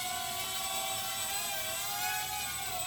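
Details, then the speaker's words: Fayee FY530 quadcopter in an indoor hover with prop guards and landing gear fitted: an even, high whirring buzz at steady pitch with small throttle wobbles; a stable, normal hover. "little bad on my throttle management, but for the most part, this thing is really stable."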